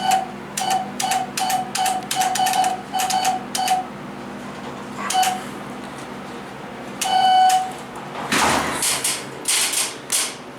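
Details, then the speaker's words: 1980s Otis hydraulic elevator with GAL fixtures, two floors: clear bright ding repeating in quick bursts, about a dozen chimes each time a car button is pressed, over quiet room hum; odd repeated chime. "What the heck is this thing? It's like, if you push the button, it's like ding, ding, ding."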